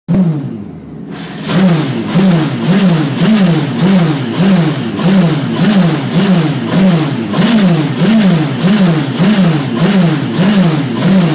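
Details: Radical SR3 engine on the dyno under load during fault finding: rhythmic surging pulse under two per second wobbling the note unevenly; engine misfire.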